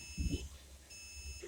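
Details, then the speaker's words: Cornerstone 45W motorhome leveling system, air let out as the jacks run down, then auto level: two bursts of steady high beeping over a low pump hum, leveler cycling normally. "run the jacks down and then it's going to auto level auto level is a nice system"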